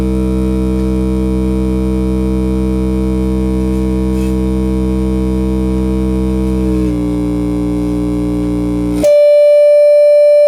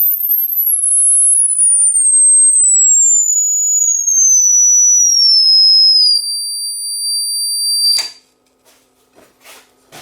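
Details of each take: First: Class D amplifier, defective out of the box, fed a 10 kHz tone: the tone throbs with a steady beating of about four a second; switching noise beating with the output signal, a badly distorted signal. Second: Replacement Class D amplifier module on a test-tone sweep, oscillator about 1.19 MHz: pure high whistle stepping steadily down in pitch, no warble or beating up to 50 kHz unlike the defective DOA unit; clean test tone output.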